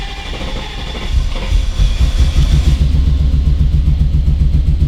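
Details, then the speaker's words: Lifted 2000 BMW 740i (E38) V8 at first start after a rebuild, while leaking transmission fluid: deep, uneven chugging pulses with no smooth beat. The engine is stumbling and missing because an engine computer connector was left unplugged. "oh no she kind of chugged too huh [Music] yeah it's super pissed about something"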